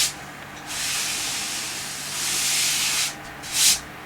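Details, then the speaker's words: PC case with newly fitted Corsair AF120 120mm top fans, non-PWM and on a Phobya splitter, meant to follow the front fan's RPM signal. A loud steady air rush with a faint hum, a little louder than before and pulling lots of air; expected to slow down. "It's a wee bit louder than it was before. These two top fans, because they're not PWM, but it should be running off the signal of this."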